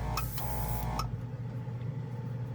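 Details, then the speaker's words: Newly arrived Gaahleri portable airbrush compressor just switched on (rated 30 minutes' run, then cool-down), with thinned Mr. Surfacer black primer ready: a click-on, then an even low hum, stable and barely vibrating, no rattling or surging. Normal running. "so far pretty good it's pretty stable it's not vibrating much"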